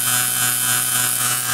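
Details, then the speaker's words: 1912-1913 F. Bissell Company suction cleaner, 1/3 HP, 110 V AC/DC motor rated 4,000/7,000 rpm, running on low at first startup after only oiling and dielectric grease on the switches; smooth steady whir, no scraping, normal running. "1912 back alive all I did was add a little oil put some dialectric grease on the switches started it"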